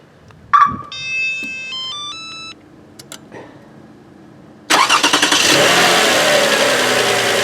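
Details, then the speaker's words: Toyota Highlander started with the accessory belt removed: a few chimes, cranks, settles into an even idle with no whine, confirming the alternator bad bearing caused the noise; alternator to be replaced. "No whine."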